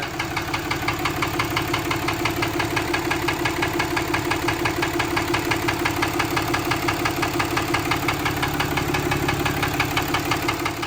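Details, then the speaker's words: Dodge Ram 3500 6.7 Cummins common-rail turbodiesel at idle: sharp, evenly spaced internal knock about three per second over the diesel idle, before the engine is pulled to find the cause. Engine knock. "Couldn't hear the knocking in the other video. Pretty easy to hear in this one."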